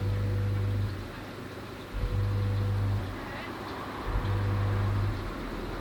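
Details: Oase BioTec Premium 80000 drum filter, not working for three months: the drive motor hums for about a second, drops out, then retries every two seconds without running up; the motor buzzes but won't turn and has failed.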